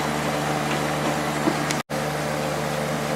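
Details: Late-90s Whirlpool Accudry 40-pint dehumidifier (reciprocating compressor, Emerson fan motor), running open during teardown: even, steady hum of compressor and fan air with no knocks, rattles or cycling; evaporator cold, condenser warming; running normally.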